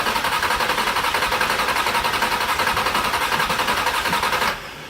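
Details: Salvage Ferrari 360 petrol V8 running: choppy, uneven exhaust beat; misfire suspected from false air, an unmetered vacuum leak.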